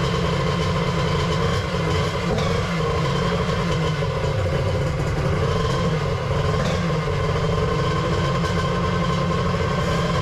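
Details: 1100 X2 triple two-stroke at its first fire-up after the build: loud, busy drone holding steady at one speed with no misses, knocks or surging. Running properly.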